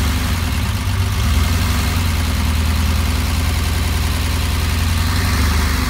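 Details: 1969 Porsche 911 with a 3.6 engine, still being sorted: low, uneven idle just after startup with a lumpy, stumbling beat suggesting cylinders misfiring. Misfire on startup.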